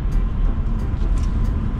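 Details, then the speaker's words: BMW M240i cabin while driving after replacing the left wheel bearing that caused a loud hum rising with speed: only a steady, even low road rumble, no hum; quiet normal wheel bearing. "that is luxury now you lot won't even understand how beautiful this sounds right now oh my God it was it was the left wheel bearon it was the left wheel bearing it is silent in here right"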